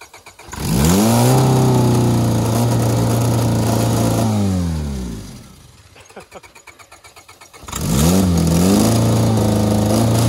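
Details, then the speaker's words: Honda Civic with tire foam in place of engine oil, running on ether; engine fires and revs, fades, stumbles and dies near six seconds, then catches again; uneven chugging on starting fluid. "he's just chugging along [Music] that's pretty good on ether"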